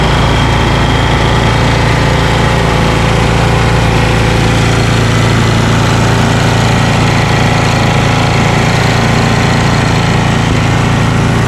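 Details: Ariens ST1128 28" snowblower, 11HP Tecumseh Snow King engine, cold day, after carburetor cleaning and pilot jet fix for surging. Despite an apparently ~5HP carburetor, an even, steady low putter holds governed speed with no hunting: normal run.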